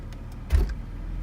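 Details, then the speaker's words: 2001 BMW E46 with the rear raised: a single deep thump over a steady idle only when shifted into reverse; owner suspects the differential, cause unconfirmed. "I think it's a little worse right now because the back is like kind of up right now. But listen, ready? 3, 2, 1. And then right. It's only like when I go to reverse."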